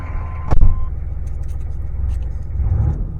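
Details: 1995 Chevrolet K3500 dually 6.5 turbo diesel revived after sitting, fuel leak fixed, no leaks seen: low, steady diesel rumble with even beat, no misses, knocks or hissing; running fine.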